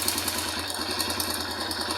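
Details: Motorcycle (Racal MD100) small single-cylinder with newly installed Bendix kit on magneto for push-button start: catches on the button, quick even idle, no knocks or starter grind; Bendix engages, normal start and idle.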